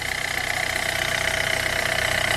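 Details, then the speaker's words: Hyundai Getz engine at 149,000, after clutch kit and oil pan gasket replacement for oil loss and poor pulling: even, steady idle with a constant hum and no knocks or misses; healthy. "şu araç gayet güzel çalışıyor"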